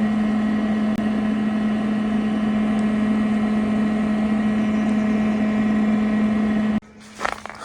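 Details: Old used Mosquito Magnet trap, reassembled after repair (the owner suspects the fuel nozzle was the issue), running outdoors. Steady, even low hum with no wobble, rattle or scrape until it stops: the fan is running normally.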